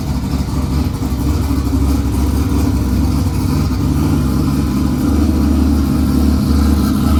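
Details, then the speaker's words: Built V8 from a turnkey race car, first run: deep uneven lumpy rumble under steady revs, sounding like a tractor and smoking like one. Rough running engine; cause not confirmed. "i told you it sounds like a tractor even smokes like tractor"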